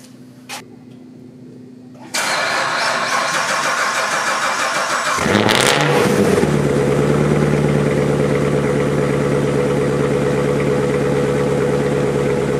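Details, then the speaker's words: Corvette cold start on icy Arctic day after sitting a week and a half, owner suspects weak battery with low cold cranking amps: sluggish cranking about three seconds before catching into fast cold idle; slow cranking. "now homies let me tell you what while you guys would have seen it really didn't want to crank over and that was my fear thankfully it did"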